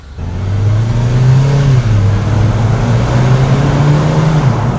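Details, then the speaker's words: R56 Mini Cooper S with N14 engine, driven after a full engine rebuild with an oil-low warning light showing: the engine note climbs smoothly under load and the boost and blow-off valve sound healthy, with no flutter or rattle. Normal turbo boost. ">> Hear the boost, the blow-off valve. >> That boost valve. >> That sounds really good."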